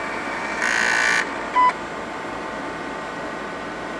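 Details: Leading Edge Model D PC at power-up: over faint drive hum, one long high beep then a short lower beep; POST error, owner suspects bad RAM chip, only 64K detected.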